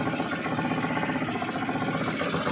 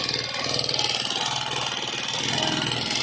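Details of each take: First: Euro 150 motorcycle engine at idle after replacing the clutch lining and worn timing gear: steady, even beat with no knocking, rattling or ticking; the earlier loud noise is gone. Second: Neglected Euro 150 motorcycle engine running rough with loud, busy metallic clatter and no steady idle; very dirty inside, valve tappet screws very loose; valve train clatter from excessive valve clearance and oil starvation.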